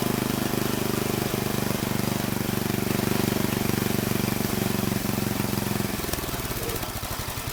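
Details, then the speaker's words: Old Troy-Bilt Horse I tiller, single-cylinder, after valve cleaning, a new plug and carburetor adjustment: fairly even thumping with occasional pops and stumbles, faltering near the end. It still pops but sounds better. "It actually did sound better that time. It did still pop some though."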